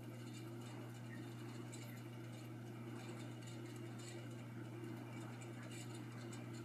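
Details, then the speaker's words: J&P Kmart Spinner 42-inch ceiling fan, hugger mounted on a beam, running at high speed: steady low hum with rough whirring, little wobble but loud; owner suspects the bearings, cause unconfirmed. "doesn't seem to be wobbling all that bad it's just loud probably here the bearings"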